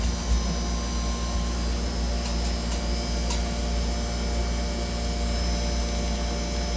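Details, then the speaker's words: 15,000 inverter air conditioner compressor running: low, even hum with a faint high whine, no knocking or rattles; pressure rose from 120 to 130 and varied with demand; running quietly and normally. "Este es el ruido del equipo inverter de 15.000, señores. Increíble. La verdad que es una navecita. No tiene ni un ruido. Apenas."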